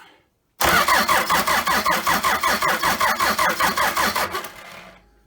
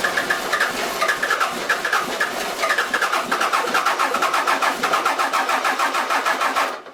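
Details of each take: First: Toyota 3B 3.4 L naturally aspirated diesel from a 1981 BJ60 Land Cruiser, sitting 6–7 years, fuel primed and injector lines loosened to bleed, on battery charger: steady cranking about 2.5 compression pulses per second, never catches; puffs of black smoke. Cranks no start. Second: Toyota 3B 3.4L naturally aspirated diesel from a 1981 BJ60 Land Cruiser, sitting six to seven years, started on glow plugs with air bubbles still in the fuel: even, steady diesel clatter, runs smoothly.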